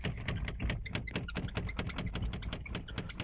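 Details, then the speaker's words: Opel Zafira driven with no passenger (no knock with a passenger aboard): irregular light knocks and rattles over cabin road rumble, coming and going with bumps; a seat back knocking, cause not yet found. "Opel Zafira задолбал Мне этот стук при езде с пассажиром еще не стучит вообще А вот едешь сам посмотрите"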